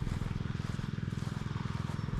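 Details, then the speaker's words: Repaired Predator 79cc 1-inch water pump, now with a fitted air filter, pumping rainwater at part throttle with the line still full: quick, even putt-putt firing at steady speed with no stumbles or rattles; runs healthy. "So, it should start pumping. The line's still full."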